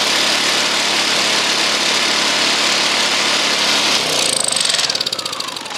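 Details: Honda EU2000i inverter generator after cleaning the plugged spark arrester and refitting the muffler: even, quiet hum with no popping or surging, then winds down cleanly at shutdown; fixed, running properly.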